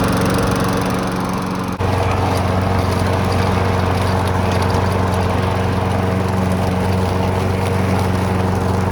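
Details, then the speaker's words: Abandoned Briggs & Stratton mower run in the snow: after letting the smoke clear, it smoothed out into a steady, even single-cylinder drone with a constant firing beat and no stumbling, running nicely for a couple of minutes. "smoothed out started running better ran for a couple minutes and seemed to be running nice and smooth when I shut the thing off"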